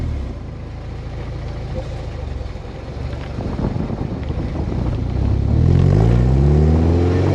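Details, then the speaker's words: Toyota MR2 Spyder start after PPE aftermarket exhaust install: deep throaty idle climbing cleanly with throttle, no rattles or misses — normal start and rev. "So the car is all done and it's on the ground. So I'm going to give it a fast start and see how it sounds like."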